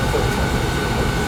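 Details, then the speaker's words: Carlin gas conversion burner that was tripping its safety reset, after cleaning the flame sensor: steady even low roar with a faint constant hum, no stutter and no flames coming out; normal burner operation. "clean flame sensor sounds like it's running good to me yeah like I don't see no flames coming out"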